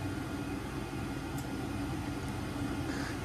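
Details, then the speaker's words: Home gas furnace in heat mode, fan on auto, house at 44°F calling for 70: after the thermostat tick, the blower starts with a quiet, steady mid-pitched hum and no rattles or squeals, pushing air through the house normally. "then for the furnace to activate first it turns on the blower start pushing air throughout the house"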